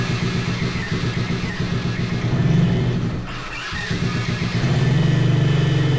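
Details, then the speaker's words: 125cc single-cylinder drift trike engine, first start after fuel work with booster on: fires and pulses steadily, blips once, then sags to a slow idle the owners say is too low; engine block rocks on its mount. "Okay! It's running! Okay, wait. The idle is too low."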